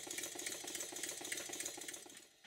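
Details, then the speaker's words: Stuart model steam engine after eccentric adjustment: quick light chuffs with a slightly uneven beat, some puffs louder; runs great in one direction but beats not even enough in the other, valve timing being finely tweaked. "it runs great in one direction but the beats are not quite even enough in the other direction"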